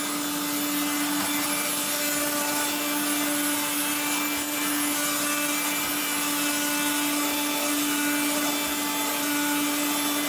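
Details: 1970s blue Regina Electrikbroom 3-speed vacuum vacuuming a floor: a steady motor hum with a rough, gritty rasp throughout, from motor bearings gone dry after someone washed the motor and fan.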